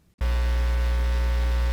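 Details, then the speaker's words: Electric guitar through amp: loud steady low mains hum with a buzzy edge, from an incomplete circuit or missing ground connection; grounding fault. "what you're experiencing is grounding issues and this can be from your electrical circuit not being completed or just a missin"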